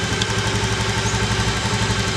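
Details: Honda Beat FI (fuel-injected) scooter, year unknown, that was hard to start with a heavy starter due to weak fuel spray; after the fix the single ticks over evenly at a quick steady beat with no misses, and now revs normally.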